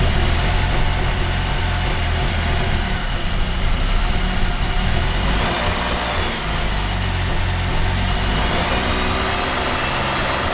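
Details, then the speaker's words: 2008 Cadillac CTS 3.6L direct-injection V6, six months after timing chain replacement: rough, uneven running with stumbles and surging revs over a low rumble from bad cam phasers. All four phasers and the thrust washer were replaced. "here's what a bad cam phaser sounds like on an 08 CTS direct injection 3.6 l"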